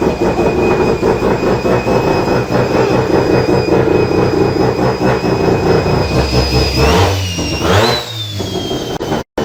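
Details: Mazda FD RX7 Bridgeport rotary with a single Hypergear T51R turbo conversion, test run after checking oil feed and housing clearance: loud rough rotary drone, turbo whistle rising on a blip, then a smooth wind-down at shutoff; runs fine, turbo spools down easily.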